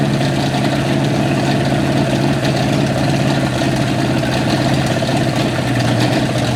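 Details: 1955 Chevy V8 stored 20 years, running on brake cleaner poured into the carburetor float bowls to pump old fuel through: fast, rough-edged but continuous throaty roar.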